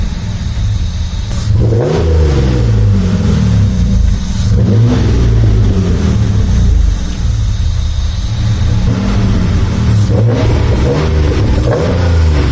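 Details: Rocketeer V6 in Mazda MX5 just after first start: fast idle with revs repeatedly rising and falling, never settling; owner suspects air getting in somewhere and closes both throttle bodies and their adjustment screws.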